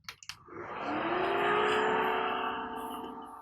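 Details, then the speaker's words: IBM System x3650 M2 server from 2010, restored, at startup: fans whir up to a steady tone, hold briefly, then settle to the much lower speed and volume they had reached earlier after running at full tilt; normal fan behaviour. "now that's really nice the fans are staying at that much lower volume and speed they eventually landed on after revving at Full Tilt because clearly it stored some sort of information about what state it was in"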